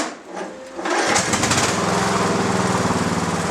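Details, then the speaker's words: Mower cranked by a recovered lead-acid battery, thought to be about 7 years old, with one bad cell that previously would not crank it: starter catches after about a second and the small engine runs at a quick, fairly even beat; normal running. "There you can hear it yourself, folks. A battery that would not crank this mower under any circumstances. You could charge it all day long and it would not crank the mower over at all. Now it cranks it, even with the one bad cell."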